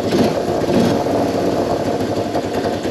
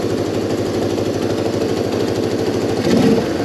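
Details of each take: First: Small single-cylinder Moto 4 ATV, warm, after fuel screw set one full turn out and idle screw raised; settled idle with revs dropping back quickly, no idle hang or surging; healthy idle. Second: Moto 4 carb fuel screw adjusted with Motion Pro 90-degree tool, backed out a further 3/8 turn richer, idle screw raised: two throttle blips, revs settle back to steady idle; checking idle hang.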